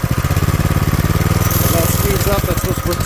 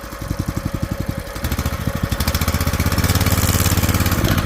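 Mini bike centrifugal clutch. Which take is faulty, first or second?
first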